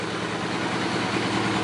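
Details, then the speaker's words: Suzuki GS850 motorcycle after carb tuning, idling just above 1000 rpm: a steady, even, smooth low rumble with hardly any lifter noise or ticking; healthy idle, main jets still to be re-tuned. "idle in just above a [Music] th000 sounds really good I hardly hear any kind of lifter noise or anything out of the"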